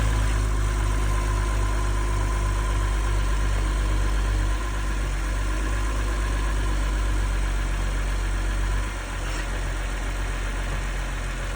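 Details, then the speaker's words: 2011 BMW 640, started on a jump box: steady, even low idle with a smooth beat, no knocks or ticks, slight dip as it goes into gear; engine sounds healthy, normal idle. "While he's getting in and getting it started, started right up to the jump. Engine sounding really good on this one."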